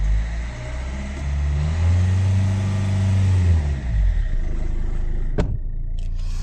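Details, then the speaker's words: Hyundai Verna 2010 1.5 CRDi U1 diesel, after a Liqui Moly Diesel Purge treatment. Rev climbs and falls evenly with a deep steady note, no knock or misfire; normal revving. "But idol में diesel की आवाज़ तो होती है, but still कुछ आवाज़ ज़रूर कम हुई है। एक सॉफ्टनेस सी आ गई है जो कि पहले थोड़ी हार्श थी।"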